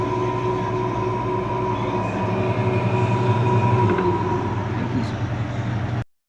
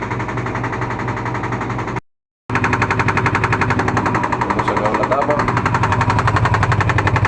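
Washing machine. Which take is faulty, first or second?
second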